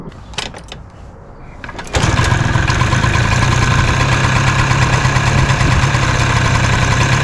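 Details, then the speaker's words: 2000 Peugeot Elyseo 100, low-mileage 100cc air-cooled single-cylinder two-stroke scooter, just bought and due a full service: catches and settles into a fast buzzy idle with a thin tinny metallic rattle on top; owner initially thought it could be a baffle, cause unconfirmed. "Now you may have heard that sort of tinny rattling sound, which I initially thought could be a baffle"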